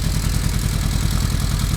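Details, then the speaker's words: 1995 Kawasaki KZ1000P ex-police bike, fully rebuilt, no choke: steady, even low putter with no hunting or misses; idle fine, though revs hang after throttle blips. "okay guys so you can hear it's running this is just idle there is no choke"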